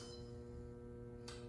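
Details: Electrolux washing machine with loud dry knock during agitation and spin from worn motor bearings: steady low electrical hum with a few fixed tones as the inlet valve opens to fill; normal.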